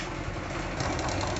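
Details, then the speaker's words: Honda CD 70 type single (described as a Chinese bike) idling at startup before repair: a loud, busy metallic clatter over the exhaust beat. The cause is a worn timing chain and sprockets, which are being replaced with a new set. "ये दोस्तों जो ख़तरनाक आवाज़ motor bike की मैंने सुनाई है ये टाइमिंग चैन और गोटेस की फारिग थी, इनकी आवाज़ थी।"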